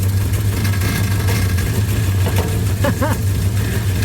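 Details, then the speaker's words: Freshly built 360 Magnum V8 warming up, exhaust leaks at the headers: steady idle with a light, uneven knock that doesn't change with idle, traced to flex plate bolts not tightened down. "flex plate Club is not tighten down thing's loud you can hear it everywhere"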